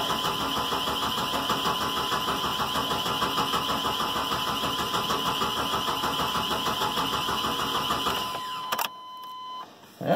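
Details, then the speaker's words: 1986 Chevrolet 1500 4.3, cranked after brake cleaner in the intake, pedal mashed: steady whirring crank at about three turns a second, never catches. Owner suspects no spark from a bad coil, unconfirmed. "No spark. Maybe a bad coil. I don't know. Coil's right under there."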